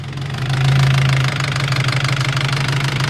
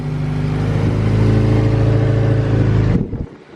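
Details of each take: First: Nissan SR20 VCT engine in an S15, warm idle after a jump start, before the VCT sprocket was replaced: loud, fast, uneven metallic rattle, like it will fall apart; the cam timing sprocket is rattling, not the bottom end. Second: Nissan S15 SR20, idle after repairing a noise that appeared once the oil warmed: steady, even four-cylinder idle with no tapping, rattle or whine; normal idle.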